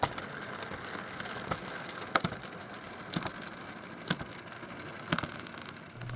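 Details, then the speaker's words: Proto/Life-Like HO-scale Western Maryland FA diesel model locomotive running: steady motor whir broken by sharp rhythmic thumps about once a second from a cracked axle drive gear; replacement axle gear set available. "they would get a crack at them and would cause the locomotive to maybe Skip Beat in a way they make a thumping noise it's pretty significant"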